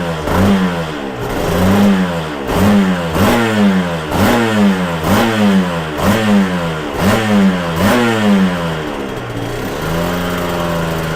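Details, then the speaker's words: Yamaha TZR 250 3XV two-stroke after three-year rebuild with new rings, warming up: repeated throttle blips about once a second with a dry, horrible ticking clatter on each rev; owner notes power valves were always noisy, source not yet found. "I can hear that ticking a sort of very horrible clattering noise I'll have to examine where that comes from"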